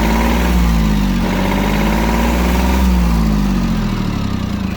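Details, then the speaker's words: Yanmar F-220 22 hp mini tractor, three-cylinder diesel, 533 engine hours, cold idle just after start: even, steady low chug with no knocks, misses or hunting; normal, smooth running. "Сильно насиловать не будем, но я думаю, видно, что и слышно, что мотор работает ровно."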